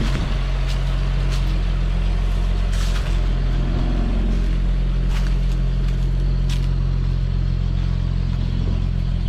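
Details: CCKW truck after starting on choke: deep, even idle with a steady low rumble and no misses or knocks; no exhaust leak heard anymore.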